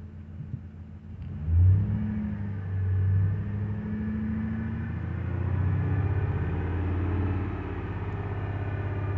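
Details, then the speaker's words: Freshly rebuilt 2007 Ford 5.4L 3V V8 held at 2000 rpm with 70 psi oil pressure after first start; coolant temp gauge not rising, battery light flashing; smooth steady rumble, no tapping or knocking; engine runs sound. "2000 rpm carrying 70 pounds all pressure it sounds excellent it sounds great"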